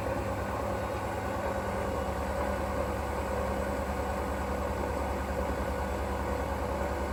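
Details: Hoover washing machine, 3.5 years old, running: loud steady rumble with a droning hum throughout the cycle; owner unsure whether the drum bearing or the motor is the cause.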